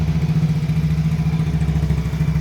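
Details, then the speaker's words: Yamaha Mio GT scooter that had lost compression and would not start, after valve lapping and a new cylinder block and piston set, compression now firm: kick-started, it fires quickly, then an even steady low idle thump, no knocks; normal idle. "Oke, kita nyalakan kontak on. Ini sambil saya engkol-engkol teman-teman ya. Tadi udah saya engkol-engkol, tapi ini saya engkol lagi. Oke, sudah nyala teman-teman. Nggak pakai lama."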